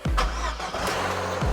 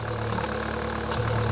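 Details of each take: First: 2012 Vauxhall Corsa VXR after forged rebuild, with coil pack and rocker cover refitted on a new gasket: short crank, fires promptly and holds a smooth, even note; the earlier air-sucking noise is gone, normal start. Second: 2012 Vauxhall Corsa VXR, freshly rebuilt with forged internals, idling in neutral on first start: loud airy hiss as air is sucked in at the oil filler; vacuum leak through the rocker cover breather diaphragm.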